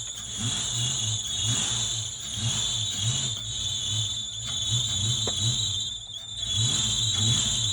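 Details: 1992 Ford Mustang GT Foxbody 5.0 V8, first cold start after sitting on old fuel; steady high squeal over a lumpy uneven idle, belt sliding on a seized, dragging pump pulley, owner thinks it may just be flattening the belt.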